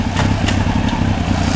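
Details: 1993 Honda CBR900RR on rear stand, out of museum storage, aftermarket exhaust deeper and throatier than stock: even low idle with a steady beat that holds as gears are clicked through; the engine sounds healthy.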